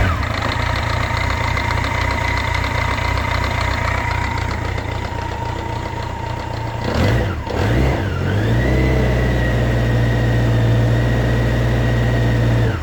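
Engine idling with a steady knock about four per second, a brief blip mid-clip, knock persists; source unclear, maybe front accessories.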